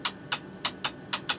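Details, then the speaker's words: Marconi 2955A radio test set step attenuator, stepping the RF generator level down around -60 dBm during calibration checks: six crisp, even relay clicks over about a second and a half; smooth switching, nothing wrong with the attenuator. "you can hear that relay clicking it's nice and smooth there's nothing wrong with that attenuator"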